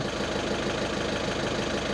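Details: VW Caddy 1.6 TDI at warming idle after injector replacement and coding, two new and two old injectors: diesel clatters unevenly with lumpy pulses, rough running from injector quantity deviation.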